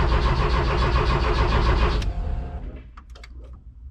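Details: Porsche 914 race car sitting about ten years, battery charged overnight, fuel pump previously replaced: starter spins engine briskly at an even rhythm for two seconds, never fires; crank no start.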